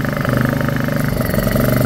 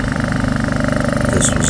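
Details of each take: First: Honda EU2000i generator after carburetor cleaning and maintenance fixing surging and choke-only running: small engine holds a steady pulsing drone without hunting or surging, running evenly off choke. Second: Honda EU2000i generator engine runs with a rough, uneven pulse and rising speed, surging and only running on choke from a dirty carburetor; fixed with carb cleaner and basic maintenance.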